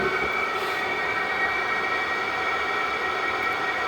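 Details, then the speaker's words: Diesel heater in a cold allotment shed, battery powered, running 16 minutes, shed warmed from 1 to 3.7 degrees: constant rushing blow with smooth steady hum, no pulsing or rattles; normal running at high power. "so it's only been running 16 minutes and it's really only getting up the temperature and um this is going to be a real real asset"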